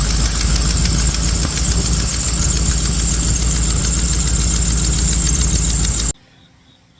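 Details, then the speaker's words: 1987 Chevrolet 350 TBI 5.7L V8 in a 1982 Jeep CJ-7 idling just after a distributor fix, timing not yet set, with quick sharp ticking over the exhaust: exhaust manifold gasket leak needing replacement. "And I got a uh I got an exhaust manifold gasket needs to be replaced on there. So, you can hear that clicking."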